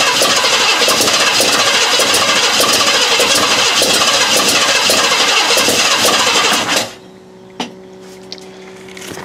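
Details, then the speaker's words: 1956 Ford Thunderbird unmoved for 18 years, fresh gas, electric fuel pump: steady starter cranking about 2.5 turns a second, catching occasionally but never starting; leaking carburetor needs rebuild, pump won't draw from tank. "not very impressive but that's where we're at so far it's trying goddamn you can hear it trying it is trying so hard but it just I don't know"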